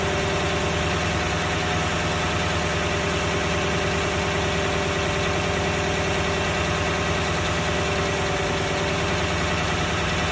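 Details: Toyota 1UR-FE V8 at dense steady idle with a faint, loosely regular knock under the engine noise; the knock gets more distinct as the oil thins and oil pressure is said to drop at 1/4. Cause still unknown.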